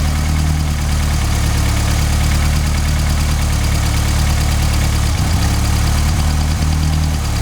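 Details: MK2 Golf GTI 16v (KR engine) cutting out: steady low idle wavers and dips around five seconds as if about to stall, after recharging a flat battery; intermittent idle cut-out, cause not yet found.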